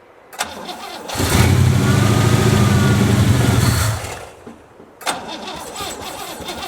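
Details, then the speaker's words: 1963 Oldsmobile 88 survivor, newly bought: short crank, engine catches and runs evenly about three seconds then fades and dies; won't stay running, choke suspected faulty, not confirmed. "so we're going to get for now it doesn't want to stay running figure that out see if it chokes or something choke's kind of messed up"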